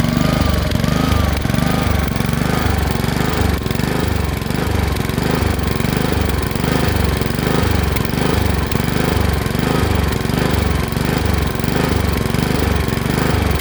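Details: Honda HRX217 lawn mower engine surging, speed swelling and sagging roughly every 1.5 seconds without settling (hunting idle); caused by dirty carburetor, fixed after cleaning the carburetor.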